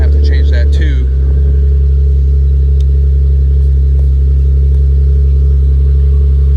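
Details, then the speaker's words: Nissan Z car with weak battery: steady low drone and hum only while clutch pedal is pressed in, fine when released; owner suspects throwout bearing, replacing whole clutch; noise with clutch pedal pressed. "But yeah, so this is what it sounds like when the clutch is pressed in. You can hear that. Not good at all."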